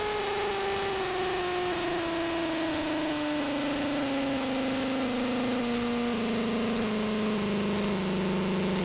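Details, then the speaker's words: Interference across the entire AM band: motor-like buzzing whine over static, pitch sliding steadily downward for nine seconds; not apparently RF, owner suspects an electromechanical source, possibly the industrial park two blocks north. "Strangest interference I've ever heard. I mean, look at how it moves the whole band. It's just one of the most bizarre things."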